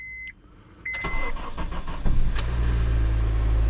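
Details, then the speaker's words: 2010 Honda CR-V after engine swap, first start: chime, short crank, engine catches at once, flares briefly, then settles into a smooth steady idle; sounds good, smoke only from PB Blaster on exhaust. "started right up all right let's make sure we don't have any leaks sounds great honestly that sounds really good"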